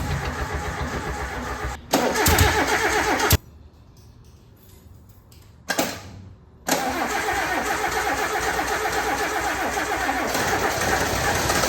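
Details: Suzuki Samurai engine, first start after weeks of starter and distributor-timing problems: starter cranks, briefly catches and stalls, then fires and settles into a steady, fairly even four-cylinder idle; normal start and idle.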